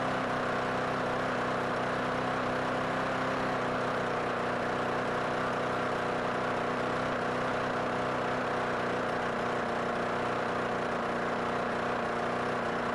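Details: Craftsman Gold push mower, Briggs & Stratton 6.25/6.5hp with plastic carburetor, cold start after carburetor and bowl cleaning (previously would only run on starting fluid): even, steady engine note, constant pitch, no misses or surging; runs cleanly.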